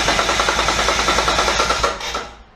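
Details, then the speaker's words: Twin-turbo Mitsubishi Triton with a 3.0L 6G72 V6 cranking at 12.5 V after a suspected bad earth was fixed (it had dropped to 7.7–8 V): the starter spins briskly and evenly with no dragging. Normal cranking. "How quick did that sound? I've never heard this car start that good. Well, we haven't started yet."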